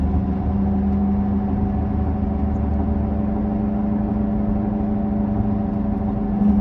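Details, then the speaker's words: 2007 Toyota Camry, bad left front wheel bearing, phone recording while driving around 50: steady low grinding growl under road noise, rising with speed; wheel bearing growl. "you see now I am speeding up the car and you can see the grinding growling noise also increases with the increased speed"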